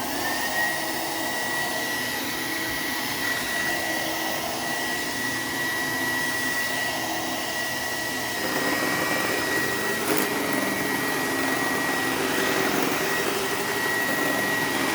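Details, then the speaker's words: Donated vacuum running: loud motor roar with thin high whine and uneven flutter; the brush roller sounds rough and bad, possibly rusty, owner suspects this is why it was donated; cause unconfirmed. "That's probably why they donated it, because that brush roller sounds really bad. It actually sounds similar to what my X5 was doing, interestingly enough."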